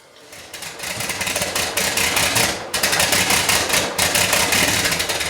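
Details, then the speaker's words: 1977 Porsche 911 Turbo, first start after distributor rebuilt from old and used parts, fresh fuel added, after long cranking: engine runs lumpy, stumbling every second or so, not firing on all cylinders. "Well, that sounds like more than one problem. Well, I put fresh fuel in it. I've been cranking on this thing for quite a while now, and well, it still has a problem. I can hear a couple things happening. First thing is that it's not running on all the cylinders."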